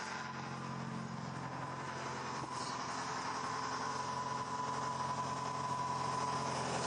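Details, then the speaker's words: 2003 Toyota Corolla 1.6 VVT-i, long neglected: steady idle with light, fairly quick tinny rattle on top; previous owner blames the plastic intake manifold, traced to a loose baffle screw buzzing inside it. "so according to the previous owner that noise is entirely due to the plastic intake manifold from what i know they do separate and have issues"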